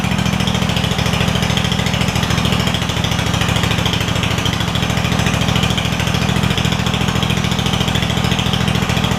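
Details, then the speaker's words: Craftsman DYS4500 mower with Kohler Courage V-twin after swapping 12V ignition coil to traditional coils; loud, raspy, slightly puffing exhaust note at idle from a small exhaust leak on the bottom. "so I hear it a lot better at idle it does have a small exhaust leak on this bottom"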